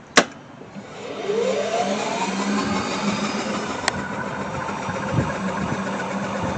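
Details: 1990 Club Car under restoration with rebuilt electronics, key on, in forward, accelerator pressed: a relay click, then the drive motor spins up with a smooth rising whine into a steady hum; normal motor run.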